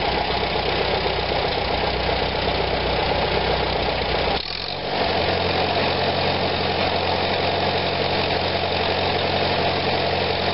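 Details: 1945 Farmall BN after Zenith carburetor cleaning of blocked passages, warm after a long ride: steady even idle with a brief dip on a throttle blip, settling smoothly; normal idle, repair successful.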